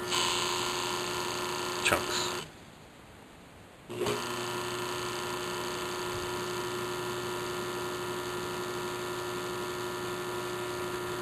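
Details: Newly installed 1 horsepower water-sensing Wayne stainless sump pump, on separate circuit; steady even motor hum with faint whine, briefly dropping away then resuming: normal running.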